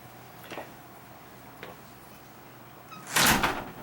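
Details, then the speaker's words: Garage-to-house door after adjusting its self-closing hinges: light creaks and clicks as it swings, then one firm latch shut; closes fully, judged good. "But I'm liking this right here. I'm going to call this good."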